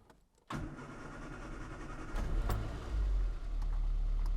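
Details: 1984 Austin Mini, unrun for a couple of weeks, started after lubricating Lucas 45D distributor and fitting new cap: catches then slightly uneven, stumbly idle but no missed beats; not misfiring, owner happy.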